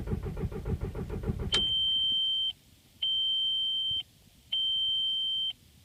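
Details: Volkswagen after low-oil warning (2 quarts low) and later-found worn valley seal: fast even cranking that never catches, then steady beep every 1.5 seconds as immobilizer activates after repeated cranks; crank no start, cause unconfirmed.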